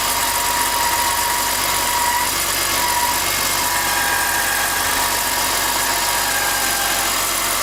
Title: e46 whining chirping sound